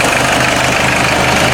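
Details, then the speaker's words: 1986 Ford Escort diesel warming up on a cold day after fuel system repairs (filters) for stalling and no-start; even clatter at a steady idle, no hunting or missing: normal idle. "my pan glad she's running I think I might just let it warm up and then turn the key off and try to restart it"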